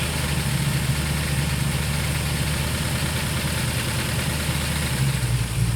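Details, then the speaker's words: 1968/69 Ford Torino GT 390 FE V8 idle after vacuum advance spring adjustment: uneven lumpy, wandering idle; timed spark port showed vacuum with idle screw fully out, owner suspects accelerator pedal holding throttle open; idle mixture then adjusted. "you hear how unstable the motor sounds it's just oh man something was bugging me"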